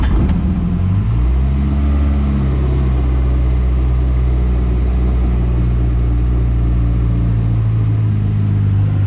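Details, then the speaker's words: Morris Minor four-cylinder idling on brake cleaner poured into the float bowl (float bowl rusty, fuelling problem suspected), choke applied: steady, even low rumble, smooth unbroken beat, no misses or knocks; runs really smooth. "if you can hear that she runs absolutely sweet off brake cleaner really really smooth"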